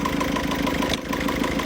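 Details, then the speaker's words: 1.6 HDI diesel after timing belt broke on the motorway: steady idle with fast, even light tapping every cycle; leaking injectors were retightened but the noise continues and air escapes from the oil filler cap. "Mais je l'ai resserré et ça continue encore de faire du bruit."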